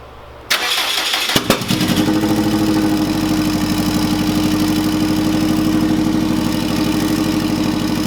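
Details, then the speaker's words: Subaru EJ205 in Honda CRX swap, first startup on stockish setup; brief cranking, fires, settles into faintly uneven lumpy idle, not a misfire; owner unsure if timing, fueling or base-map tuning; slightly rough idle. "it's not running super smooth. It's not a misfire type running rough-ish situation. It's just not as smooth as I would like it."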